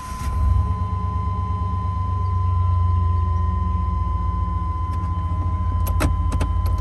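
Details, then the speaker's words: 1995 GMC Suburban 2500 4x4, 5.7 TBI with automatic. New O2, MAP and coolant sensors, fuel filter, fuel lines and exhaust fitted. Once warm, the idle surges and hunts between 500 and 1,000 rpm, and it often stalls when put in gear. Cause unknown. "The problem occurs once the motor has warmed up. The RPMs will start to surge in the lower range, searching between 500 and 1,000 RPMs to maintain idle."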